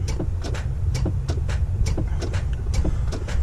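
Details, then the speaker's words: Semi truck being started after a starter issue: only a low rumble with sharp clicks about twice a second, no cranking; starter not turning the engine over, owner thinks it's dead; cause suspected, not confirmed. "I'm hoping that she'll just catch it one of these times but she's just not seeming to this morning boys so I think she's dead"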